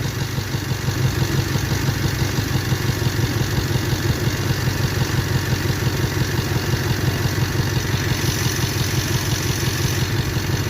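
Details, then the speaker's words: 1998 Toyota 4Runner 4-cylinder, waste-spark ignition, obvious misfire but no codes, scope diagnosis: uneven lumpy idle with steady low thump stumbling every few beats, engine shaking; one cylinder misfiring. "that one has to Hash obviously the engine is shaking this is cylinder number whatever it is"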